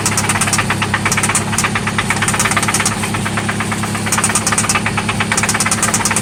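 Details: 1995 Toyota Celica ST at idle, after an oil change and new spark plugs: loud sharp knocks in quick bursts, about three per second, over an uneven idle, seemingly from one spot; cause not found.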